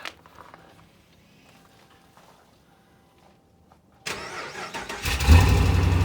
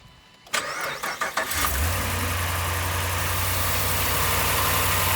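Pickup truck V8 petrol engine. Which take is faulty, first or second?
first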